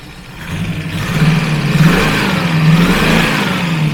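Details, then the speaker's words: TVR Griffith 500 V8, warming up, vacuum advance not yet working: burble rises cleanly on a throttle blip and holds an even beat without stumbling. Healthy throttle response on all cylinders. "I didn't really want to idle before when it wasn't on all cylinders that was really good threr"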